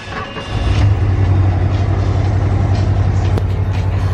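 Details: 1988 Ford Bronco 4x4, warm, normally needs two or three tries when cold: starts fast, then a loud low drone with a slightly uneven beat; owner suspects dirty injectors causing a miss; rough running.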